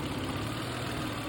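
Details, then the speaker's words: Toyota Avalon 3.0 V6, remote-started, new plugs: smooth even idle with a steady low rumble, nice and quiet, no ticking or puffing at the manifold; engine healthy, no exhaust leak. "but you can hear right now like you can hear the motor nice and quiet"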